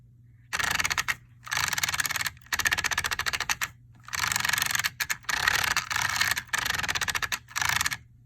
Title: Traxxas 4-Tec 2.0 VXL grinding noise